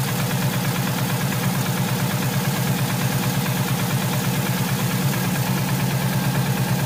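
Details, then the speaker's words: Subaru Impreza wagon, naturally aspirated, mechanically tuned, possibly overboosted: steady deep knock at cold idle, roughly two per second. Heavy oil leak on the passenger-side bank. Suspected rod knock or bent rod, unconfirmed; lower-end knock. "so the noise sounds very bottom and it sounds like Rob knock or possibly even a bent rod"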